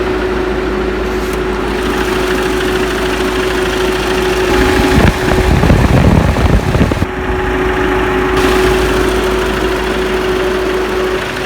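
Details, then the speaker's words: Ford Mondeo Mk5 taxi, engine idling after start-up: steady loud rushing hum of radiator cooling fans running flat out because the active grille shutter mechanism behind the front bumper is damaged, risking fan burnout. "you can hear at the moment is the engine that is the cooling fans that just come on"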